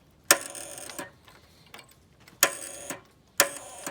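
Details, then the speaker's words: Gravely tractor with a brand-new battery and cheap cables; the starter turns fine by hand. Sharp metallic clacks come about once a second, each with a short rattle, and no cranking. Solenoid chattering without turning the starter. "There's definitely that noise is coming out of the solenoid, which is an ugly noise, huh?"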